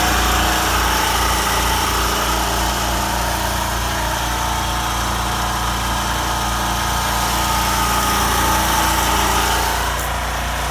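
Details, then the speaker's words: Champion generator heard from beside the unit while a heater load is switched through half, medium and high settings: steady, even engine drone holding speed as load changes; running healthy under load. "Alright, now we're in the part of the video where you're gonna hear the generator go through the various loads of the heater from your point of view."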